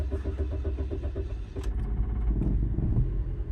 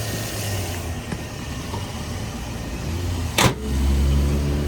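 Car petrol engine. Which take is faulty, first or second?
first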